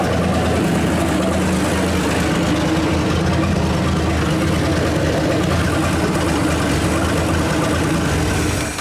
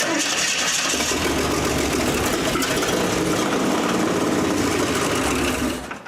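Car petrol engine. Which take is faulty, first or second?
second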